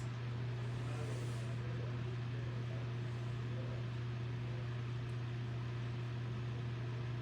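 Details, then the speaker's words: Homemade BreezeWay desk fan Model BW-6F10 after a swap to a bigger blade (which barely hits the table), on low speed: a constant low hum and steady whoosh of air with no ticking or rubbing, slightly noisier than the smaller blade; normal running. "this one's a little noisier than the small blade. The small blade is pretty quieter. But this one here is more bigger, so now it's gonna make a little bit more noise than the small blade."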